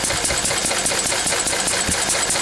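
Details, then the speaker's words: Lister D single-cylinder diesel, run after a few days sitting, oil recently changed, screw adjusted; crisp, regular beat with bright clatter, no misses or stumbles; running quite well. "you just have keep playing with it didn't Dr you know Li once there but it's running quite well now is"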